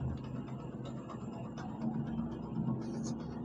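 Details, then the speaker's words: Kick-started motorcycle with a spring fitted for the worn cam timing chain and roller: a steady low engine hum with an even beat and no rattle or ticking, now quiet. Normal idle. "आवाज सुन लो मेरे प्यारे भाई बे आवाज हो चुकी है"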